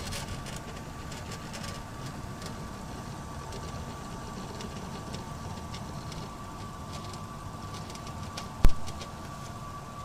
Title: WD 4TB Black HDD rattling noises.